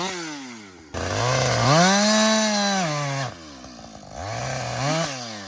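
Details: Husqvarna 562XP chainsaw, back from the shop after dealer reflashed its software for dying when hot and stumbling, about two-thirds of a tank in: full-throttle scream bogs smoothly into the cut, snaps back cleanly; healthy under load.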